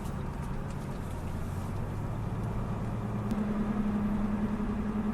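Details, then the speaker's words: BMW 328ia E36 Touring Individual, M52 double-Vanos engine, automatic, driving: low droning hum rising in pitch with speed over road noise, wheel bearing believed near end of life; rear wheel bearing noise. "Tiens, son roulement, c'est un truc dingue. Hein? Ouais, là, il envoie bien. Ouais, il y a un fin de vie, je crois."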